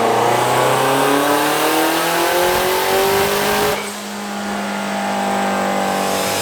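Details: Car nicknamed Lucifer on dyno, run on wastegate boost after repeated unexplained leaning out; pulls hard with pitch climbing steadily, then goes rough near the top around 6,000 rpm before an abrupt lift; AFRs went rich this time; high-rpm breakup, cause unclear.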